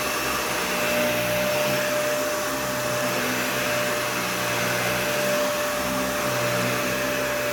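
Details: Animal 1-type vacuum, clean, filter still like new despite a lot of use: steady high whine over a pulsing low hum while running; the motor sounds really bad, cause unknown.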